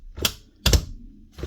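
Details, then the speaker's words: Paslode IM350+ nail gun with the gas removed and a failed motor. Three sharp dry snaps, one per trigger pull, from the spark discharging in the cylinder head, with no fan whir behind them. The spark unit is good; the motor is dead. "You hear that little click inside? That's the actual spark being discharged inside the cylinder head. So, the spark unit here is good."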